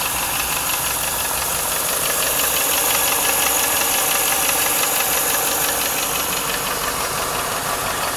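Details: 1995 Lincoln Mark VIII LSC, Ford 4.6 DOHC modular: fast, fairly even tick about three a second over a steady idle. Owner unsure whether it is lash adjuster tapping or piston slap/rod knock; cause unconfirmed.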